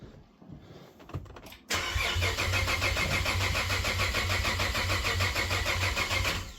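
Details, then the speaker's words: Cadillac ATS-V engine swapped into a 2013 ATS 2.0T, battery nearly dead, starter later heat-soaked: quick steady starter whirr about three turns a second for five seconds, no firing. Crank no start, air suspected in direct-injection fuel system. "that's what happens when direct injection fuel systems full of air this thing's probably got like two volts in it right now it's so dead"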